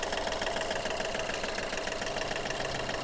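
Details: Skoda Fabia diesel with low pickup, smoke and oil-filter and inlet leaks, engine warm before overhaul: heavy, rapid rattle about three knocks a second over the idle, from worn rings and injectors.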